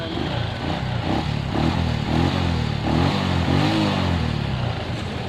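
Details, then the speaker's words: Suzuki Shogun 125 after fitting a new CDI: starts normally on both electric start and kick start, single cylinder runs evenly through throttle blips, no misfire. "nyala Coba kita engkol di engkol juga normal"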